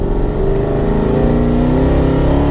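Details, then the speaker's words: Mercedes-Benz W204 C63 AMG, M156 V8, after spark plug replacement (plus air filters, cabin filters, blower motor, battery) on 87 octane: clean, steadily climbing note under acceleration, no stumble or hesitation; feels more powerful and smoother. "wow, the car feels like it has so much more power. Like, it actually feels amazing. It accelerates so much more smoothly."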